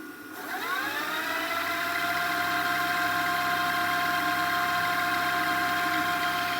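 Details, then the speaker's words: Repaired JVC DR-MV79B DVD recorder/VCR combo, after repairing the head amplifier connector, on fast forward: a whir spins up, then holds a smooth steady tone with no catching or scraping, so fast forward is healthy. "you can see it works and then now we can also fast forward we'll go to fast forward just to demonstrate"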